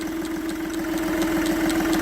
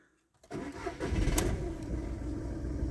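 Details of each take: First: Ford Ka with 116,000 miles at petrol idle, heard loudest in the engine bay: sharp, even clicks about four a second from the small vacuum-pipe solenoid, first mistaken for the clutch release bearing. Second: Ford Ka, 97,000 miles: brief crank then catches at once into smooth, even idle with no stumble, no warning lights; normal cold start.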